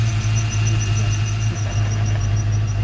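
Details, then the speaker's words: 1995 Saleen Mustang V8 after repairing a snapped rocker arm bolt; steady low rumble with even pulses, no valvetrain ticking. Normal idle. "so it's another broken big boy toy fixed sounds like it's running so not quang he's not playing it's not throwing a rocker all around"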